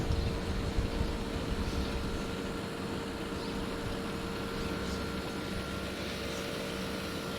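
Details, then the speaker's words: Air conditioner with Tecumseh pancake compressor, recorded with fan off: low, steady hum with a faint even tone and no knocks or rattles; compressor running smoothly and very quietly. "I'm amazed at how quiet that Tecumseh pancake is."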